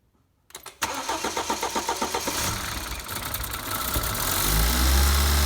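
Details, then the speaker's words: BMW N20 4-cylinder started after a valve cover gasket replacement and battery reconnection, expected to run a little rough at first from air in the fuel lines: quick cranking catches, stumbles briefly, then settles to a smooth, steady idle. Normal start. "alright let's connect the battery and start it up it's gonna run a little rough in the beginning and it actually might set a check engine light so you can clear with your code reader just because of the air in the fuel lines what it should staple out after a few seconds"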